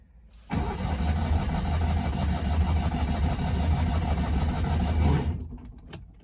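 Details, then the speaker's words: Citroen 2CV flat-twin on manual choke, with too much choke: cranks evenly at about four beats a second for five seconds without catching. It later started at half choke, suggesting too much choke. "okay it was ticking over nicely but it didn't want to catch there so i'm gonna try and put a little less choke just a tad less to see if that makes a difference"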